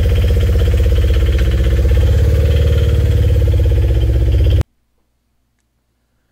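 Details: 2013 Scion FR-S (BRZ twin) bought with a rod knock, original engine before a used-engine swap; a hard regular knock about four per second rides over the idle until shutdown: rod knock.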